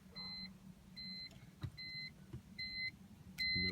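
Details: BMW E46 M3 won't start after trunk lid wiring repair: about five high warning chimes, no starter click, flickering gauge cluster; caused by a small short in the trunk lid (elephant trunk) wiring harness.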